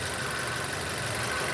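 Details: 2006 Nissan Y11 AD QG15 e-throttle engine idling while the scan tool commands VVT cam phasing to 0 degrees. Steady, even idle with a smooth hum under some hiss, no misses, knocks or hunting. Vacuum stabilizes near 20.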